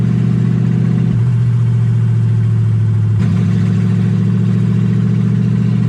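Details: Toyota 1UZ V8 in a Ford Falcon, warm (about 160° on the gauge), first drive: idle sits high and hunts, dropping then jumping back up every couple of seconds.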